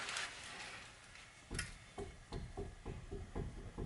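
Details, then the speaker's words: Front-end safety inspection before a brake job: rocking the wheel gives dull thumps about twice a second, coming from the lower ball joint at the bottom of the vehicle, not the tie rod; ball joint has play. "you guys hear that you could see it you see it moving chef thumping ok now that thumping right now is coming from the bald right on the bottom of the vehicle here"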